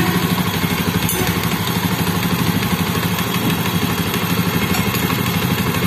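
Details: Motorcycle in an engine head noise repair: steady, even single-cylinder beat with no ticking or rattle from the head; normal running.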